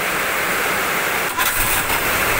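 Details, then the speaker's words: Old car whose starter had been clicking and not turning, restarted after the fix: a brief, strong crank catches straight away into a steady run; normal cranking and start. "Langsung celegreng teman-teman ya. Enak."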